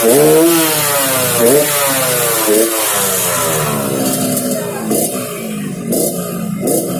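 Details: Yamaha RX King two-stroke revs rising and falling in repeated sweeps with a rough, throaty snore over the exhaust note; snoring noise while revving, carburetor noted slightly wet, cause undetermined.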